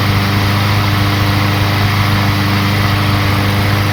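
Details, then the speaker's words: Craftsman lawn mower, about a year and a half old, after fixing no-start with very low compression and no carburetor suction (suspected stuck valve): steady single-cylinder chug at fast idle with some extra clatter, warming up before oil change; running normally. "was a little noisy but I can't believe the stupid things are running you can still hear it out there I'm going to let it run for 10-15 minutes to make sure it keeps running plus that will warm the engine up"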